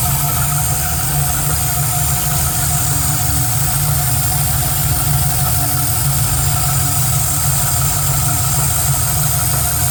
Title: Knocking Noise?